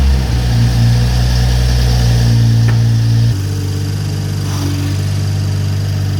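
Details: BMW M340i just after fitting an upgraded intake manifold, port injection, Dorch DS25 high-pressure fuel pump and S58 injectors, first start: steady idle with quick light ticking after a short rev drop; runs fine, though a check engine light is on.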